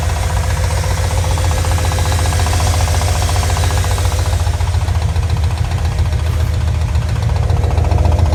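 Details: Mirotekniк RX7 rotary idling with a steady low rumble and an irregular knocking pulse about three to four times a second; engine knock of unknown cause.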